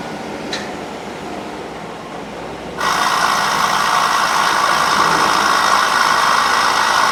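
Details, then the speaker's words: 2008 Chevy Suburban air-ride suspension compressor, which kicks on once the truck is put in gear: harsh, buzzy mechanical rattle that holds steady while running; compressor needs replacement. "all right so as y'all can hear the you don't really start till you put in gear i guess that's when it activates those sensors so that air compressor kicks on it rattles like crazy"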